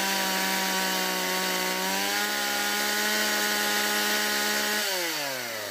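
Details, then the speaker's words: Stihl MS170 two-stroke chainsaw after a fuel line replacement and the original Zama carburetor replacing a non-adjustable Chinese copy: clean howl holding a steady high pitch, then revving up and dropping back smoothly. The earlier no-start and high idle are fixed. "wymieniliśmy gaźnik na oryginalny, tak jak być powinien, a nie chiński zamiennik, którego nie dało się wyregulować. Piła działa bardzo dobrze"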